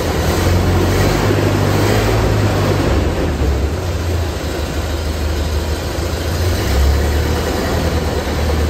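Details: 1928 Ford Model A four-cylinder, revived after sitting a very long time, on its first start with fuel fed: low, steady even chugging with no knocks or misses; runs smoothly.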